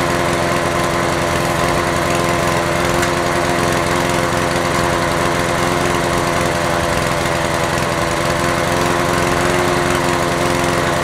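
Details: Honda HR17 lawnmower single-cylinder engine running after a no-start repair, with a bad points contact suspected and a carburetor bowl gasket fuel leak found. It holds a steady, even buzz at constant speed with no stumbling or surging, running normally.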